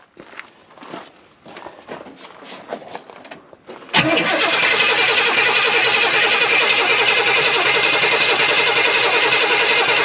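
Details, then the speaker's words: 1978 Pontiac Formula Firebird off the road for 21 years, first start attempt without an alternator: scattered clicking, then the engine catches into a loud, rough, uneven run with the carburetor choke frozen. "is frozen go ahead that choke is Frozen go ahead"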